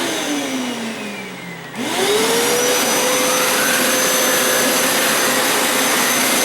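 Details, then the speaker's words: Hoover Elite Power Scrub carpet cleaner used as vacuum to suck up cleaning solution residue after deep clean wash cycle: motor whirs up in about a second to a steady high hum; suction motor running normally. "As a vacuum just to suck up some of the residue of the cleaning solution. Just using it as a vacuum right now."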